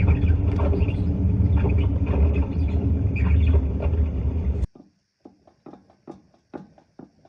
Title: How Wheel Bearing Sounds When It Goes Bad and How to Check